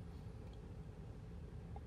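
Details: 2008 Toyota Tundra 5.7L V8 that stalled at hot idle with no codes, after cleaning carbon-fouled throttle body: quiet, even low rumble with no surging, stumbling or dips; steady smooth idle; considered fixed.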